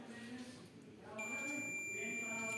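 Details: Microwave oven 10 A fuse (230–250 V) tested on multimeter continuity with probes either way: a steady high continuity beep comes on when probes touch and holds evenly, so the fuse is intact.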